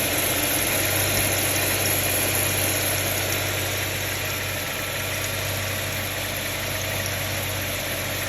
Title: How bad is this timing chain noise? 2006 Subaru Tribeca H6